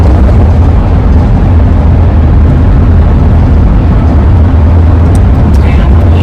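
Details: 2001 Ford van at road speed with relocated AA ladder roof rack: steady low roar with a droning howl over it, likely wind noise through the rack.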